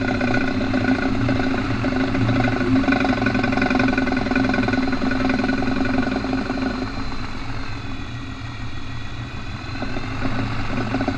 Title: Ratchet noise when turning in 4x4